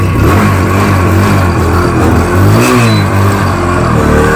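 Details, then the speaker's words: Motorcycle started after fixing petrol overflow and misfire problems, kick start failed so self-started: loud, steady engine note with a small rev rise, no misfire or stumble; normal running. "Guys വണ്ടി start ആയിരിക്കുകയാണ് നമ്മുടെ overflow പ്രശ്നമൊക്കെ പരിഹരിച്ചു"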